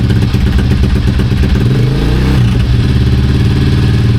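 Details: Honda CRF230 single-cylinder idling after an oil change and air filter clean: a steady, even thump with a brief rev blip and no knocks or rattles. The motor sounds healthy.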